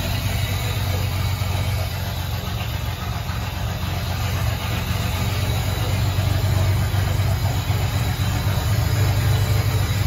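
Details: Ford 300 inline six on first fire-up with newly finished turbo header, exhaust cutouts open: deep, steady rumble with an even idle beat, no misses or knocks; normal idle.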